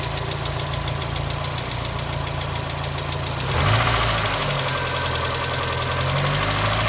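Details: 1992 Miata idling on first start since a cracked radiator and suspected blown head gasket (no water in oil, oil pressure seems fine): quick regular ticking, three to four a second, over steady idle; owner unsure if lifter tick or rod knock.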